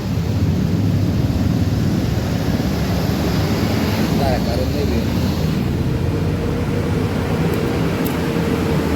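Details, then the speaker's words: Honda Vario 125 with dead dashboard and starter, after a cable fault was found and fixed: now starts; low, even engine drone steady for nine seconds, no misses; running normally. "Okay, try starting it and it works. It's okay again."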